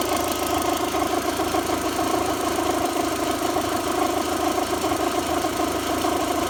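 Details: VW 1.8T idling with a busy, rattly whir that rises with rpm, first heard at startup after a timing belt service. Belt, tensioner, rollers, metal-impeller water pump, thermostat and crank seal were replaced; owner suspects the water pump, not sure.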